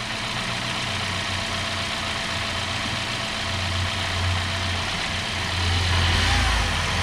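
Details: 2017 Hyundai Sonata, normal idle after the P0303 misfire was traced by swapping parts to a bad #3 spark plug: a steady, even hum with a low, smooth pulse, no stumble or skipped beats, and the engine running cleanly.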